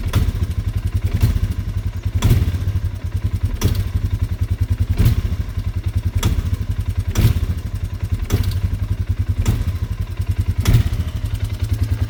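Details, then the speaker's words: 2025 Polaris Sportsman 450 HO ATV, throttle feathered to go slow to recreate a noise. Uneven low thumping with a sharper clack roughly every second over lumpy firing; owner suspects the valves are doing something odd, cause unclear. "And it sounds like the valves are doing some weird stuff too."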